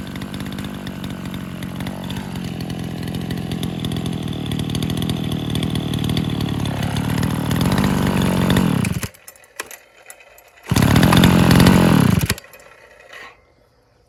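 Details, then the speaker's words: Old Brazilian-made chainsaw restored to running, cover not yet fitted and no bar or chain; strong, even two-stroke buzz holds steady with no knock or misfire before shutting off, engine now running smoothly. "Der Motor läuft jetzt rund"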